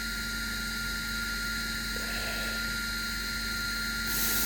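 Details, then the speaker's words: Zealandia Systems Proteus P3 laser setup, high-pressure air assist through a flow rig: steady rushing hiss with a fixed whistle, tone changing and brightening as flow is opened; set just under that tone change. Normal strong assist airflow. "and you hear how that changes tone so I just go just under that noise there's quite a lot of air coming out of that"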